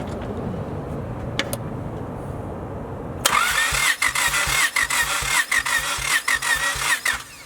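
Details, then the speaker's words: Engine compression test, plugs out, throttle held open, fuel and computer fuse pulled: steady cranking with uneven beat about eighty per minute; one cylinder has no compression. "oh yeah one doesn't have any damn compression"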